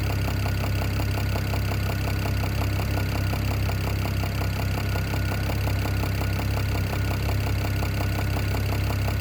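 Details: BMW E92 335i N54 six-cylinder idling with a steady, even knock tapping about four beats a second, seemingly from the top end, though the owner is unsure.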